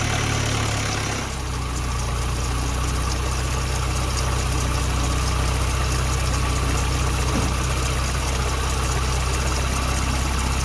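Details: Supercharged Toyota 22RE after bypass valve fix, with hard piping and crush-proof couplers replacing silicone tubes that sucked closed and caused rich running: catches and settles into a steady, even idle with a deep, consistent rumble, no stumbling or sucking; normal idle.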